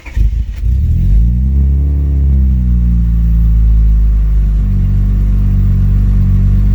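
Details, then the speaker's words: Acura TL J32A3 V6 swapped into a 7th-gen Honda Accord, after replacing the lower intake runner gasket: cranks and catches with a stumbling, uneven beat, then settles to a steadier low idle; rough start, owner suspects fuel system sat empty for days. "like i the first rough start that you guys seen uh when when i first turned the car on i believe that was just related to the fact that there hasn't been fuel in the system for a couple days since i disconnected everything"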